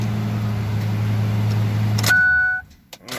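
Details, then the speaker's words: 2005 Ford F250 6.8L V10 3-valve, 599,000 miles, after replacing ignition coil pigtail for P0354 misfire: steady even low idle rumble with no stumble, a ton better; normal idle. "let's give her a little start see if she's in any better oh yeah she's a ton better"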